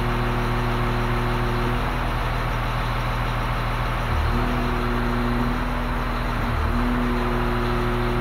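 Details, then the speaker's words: Grader diesel with axial piston hydraulic pump, side shift held stalled at about 33.75 maximum system pressure; steady, unlaboured hum as the pressure limiting compensator de-strokes the pump, engine barely loaded, healthy. "so the engine's barely working we're at very high pressure but because the pump is fully de-stroking with the pressure limiting compensator i don't hear the engine under much load at all"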